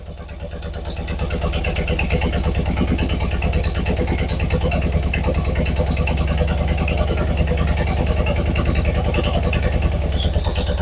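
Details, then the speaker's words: Two-cylinder engine at idle: uneven, lumpy, clattery idle with dropped firing pulses, no suction at the carburetor on one cylinder. Compression test oddly lower on the good-running cylinder; leakdown test planned. Misfire at idle, cause not confirmed. "right, we have some bigger problems than we thought here. Well, it sounds like it's running on 1.5 cylinders again."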